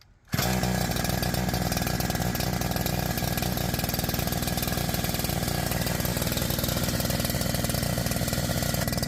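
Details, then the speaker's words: New NEO-TEC NH872 71cc two-stroke chainsaw (Husqvarna 372XP clone, 28-inch bar) on its first start with 50:1 mix. It catches instantly and holds a fast, busy buzz instead of a slow idle. Idle is too high and the chain turns at idle; the fix is the carburetor T adjustment screw. "So now one thing I noticed when I cranked it is that the chain is turning at idle, the way to fix that is there is a, it's called the T adjustment here."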